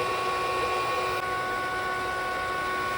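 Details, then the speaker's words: Aquastrong 3 hp variable-speed pool pump on speed 4, after self-priming, at almost 3,700 RPM maximum drawing about 2,200 watts: steady even motor hum with a constant high-pitched whine, no knocks, rattles or grinding; running normally at full speed. "it's running now. I'm at almost 3,700 RPM, and this is as fast as this is going to go, drawing a maximum power of about 2,200 watts."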